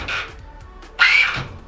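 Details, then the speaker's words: 1/10 RC car with 17.5 motor, slipper clutch set while holding the car: short rising motor whine, tires lift, slipper slips and motor bogs down quite a bit; correct slipper setting. "so you hear that the tires coming up off the ground slipper's slipping but the motor is bogged down quite a bit that's actually a really good setting for 17.5"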